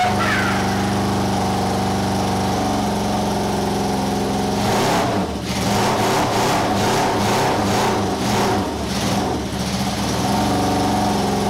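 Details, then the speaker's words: Honda four-cylinder cafe scrambler project, first run in 21 years after carb rebuild and wiring fix: revving stumbles and stutters with uneven choppy bursts; misfire, owner suspects flooding or fuel not yet through. "oh my god strange misfire they want something comes up flood or the top I've got fuel through yet or something"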